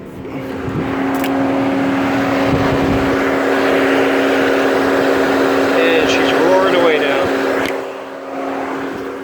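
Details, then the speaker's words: Mercedes non-4MATIC, 88,000 miles, cooling fan previously replaced for customer fan complaint: scan-tool actuation of electric suction fan from 50% to about 90%, steady strong whoosh and hum without wobble or rubbing—normal cooling fan operation at high speed. "I do hear the fan on fan is on and it's about a medium speed hmm zoom me back up we'll bring it back up to about a 90 percent duty cycle"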